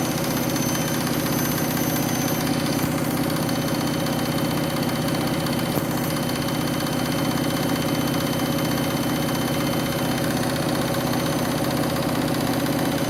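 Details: Washing machine final spin after a very sudsy final rinse (possible suds lock, load sensor deciding speed): loud steady roar with a constant hum and a faint pulse about twice a second at full spin; the spin is abnormally noisy.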